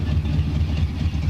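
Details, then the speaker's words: 1970 Donohue Javelin, 390 V8 with rebuilt original Motorcraft 4300 carburetor, warming up: deep, slightly lumpy exhaust pulses at an even rhythm with no misfire; smooth, healthy idle. "car is smooth idles along very well down the road fun to drive"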